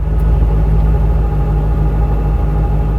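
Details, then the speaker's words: C4 Corvette with the ZF 6-speed manual and dual-mass flywheel, idling in neutral; a light steady hum under the idle that disappears when the clutch is pressed, normal for this gearbox and not clutch or release bearing wear. "Esse zumbido não é a embreagem nem o rolamento de liberação se desgastando. É um som totalmente normal."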